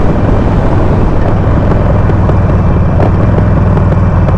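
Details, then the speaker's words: Harley Sportster 48 on PV4 stage 1 stock map, riding and letting off throttle: sharp irregular pops and cracks over the rumbling V-twin on deceleration; too much fuel with the stock map. "see like it's just constantly popping it's just too much fuel with the stock map so it doesn't feel good"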